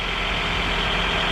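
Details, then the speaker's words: 2000 Honda CR-V, 166,000 miles, after timing belt replacement: steady even idle with no rattle, shake or misfire; engine running normally. "so no more rattle no more funny noise and she's burning like a kitten man this thing is still it doesn't shake doesn't miss fire"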